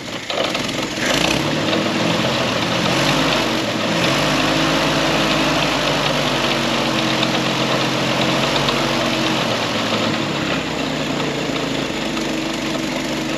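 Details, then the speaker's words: Historic Ford Willys Jeep "Go Devil" engine, long-stored, after fuel brought up, points adjusted, fan belt tightened: fires right off, choke being set, steady even idle with soft regular putter, no knocks or rattles. "Fired right off. Give her some more fuel. I'll be dang. Don't hear no knots, rattles. Oh, and I did tighten up that fan belt. And it's idling."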